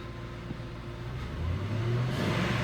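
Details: 2000 Ford F-150, 4.6 V8, P0301 cylinder misfire: revved under load, revs climb cleanly with an even, unbroken note, no stumble or popping; no misfire after wiggling wires, likely a loose connection.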